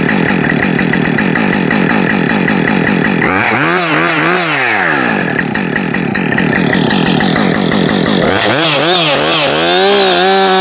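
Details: New Husqvarna 562XP Mark II chainsaw, first-ever run, warming up: steady idle, then two clean revs up and back down with crisp throttle response; normal running, found its tune quickly.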